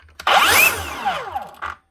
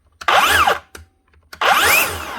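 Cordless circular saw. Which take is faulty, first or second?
second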